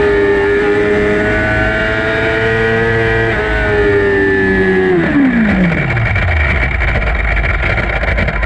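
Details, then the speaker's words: Yamaha R6 on track in practice, gear not clicked in firmly causing false neutral entering a turn: engine note drops away, then rough grinding, popping and rattling as the bike crashes; gear grinding from false neutral. "that's the crash that happens you're gonna hear a bunch of grinding and popping"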